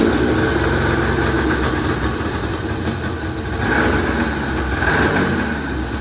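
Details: 1980 Yamaha Exciter two-stroke snowmobile, revived after sitting 19 years, first test run after tank cleaning, throttle cable swap and premix added to the tank: raspy steady running, slightly uneven burble, smoky, no knocks or squeals; running normally.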